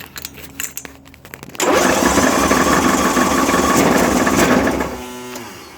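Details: John Deere 1023 with single-cylinder 500cc Briggs engine, jump pack and full choke: loud rumble and clattering rattle while cranking but never catching; counterbalancer had failed, later blowing a hole in the block.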